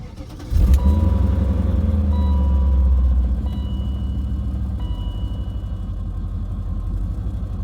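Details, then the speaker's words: Dinan E39 M5 V8 with 344,000 miles, with a reportedly rebuilt engine: a loud, low startup rattle at cold start, then an uneven, misfire-like lumpy idle. A stumble fault code has also appeared; the cause is unconfirmed. "it sounds very misf firy which I don't think it needs a tuneup apparently this motor was rebuilt"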